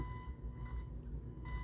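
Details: Thrift-store JVC A-X40 integrated amplifier, before restoration, sine test tone: faint scratchy crackle bursts that ease as volume rises. Likely a filthy volume pot; there is also bleed to the left channel, and it clears as the control is worked.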